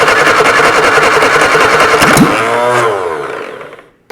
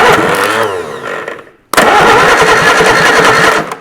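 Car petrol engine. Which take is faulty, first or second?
second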